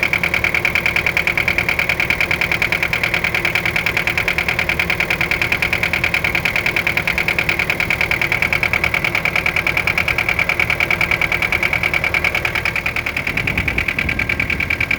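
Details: Mitsubishi 4M40 diesel idling with a sharp, steady metallic knock about three times a second over the normal clatter; detonation and engine knock, source not yet identified.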